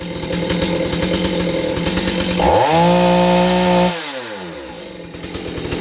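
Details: Stihl 025 chainsaw under warranty check for sporadic running (possible air leak), started by pull cord and warmed a few seconds: two-stroke burbles at idle, revs cleanly to a steady high scream and drops back smoothly; saw runs fine here.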